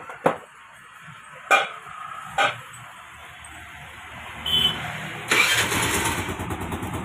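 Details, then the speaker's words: Scooter that would not start despite spark and a good plug, started after adjusting tight tappet clearance: a few sharp start attempts, then the engine catches and settles into a steady, even idle; starting and running properly. "गाड़ी अपने start हो चुकी है बिल्कुल सही से कम कर रही है"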